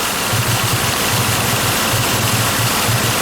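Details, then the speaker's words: 2005 Ford Escape 3.0L idling with one cylinder not firing, engine running while coil plugs are disconnected with no rpm change; rough, lumpy idle with an uneven low thump about once a second; misfire from a coil not firing, P0354, bad computer coil driver. "i was told that this cylinder here is not firing at all these two are firing but this one is not firing"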